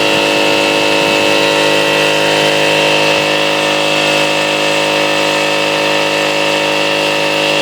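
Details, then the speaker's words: Salvaged air compressor rebuilt from three units, pump newly mounted on motor mounts: steady even pump drone, no knocks or rattles, building pressure at about 90 psi; normal compressor running. "uh plummet and turned it on well it's airing up it's uh about 90 right now and and uh as soon as it airs up and cuts off I'll let a little air out make sure it cuts back on"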